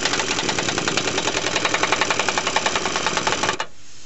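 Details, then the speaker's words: 2004 Chevy Tahoe, air impact wrench removing steering box bolts during Pitman arm replacement: rapid, uneven rattling hammer about four blows a second with a sharp hiss, then cutting out; the impact wrench is weak. "this air gun really isn't working good"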